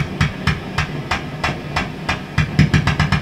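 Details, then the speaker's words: Fender Vibro King amp with a loud roaring noise; low regular thumps through the speaker pulse at the tremolo rate and quicken as tremolo speed is turned up, and pulling the last valve in the chain, the tremolo valve, stops them. "something to do with the tremolo oh dear can you hear that horrible thump as i turn the tremolo speed up"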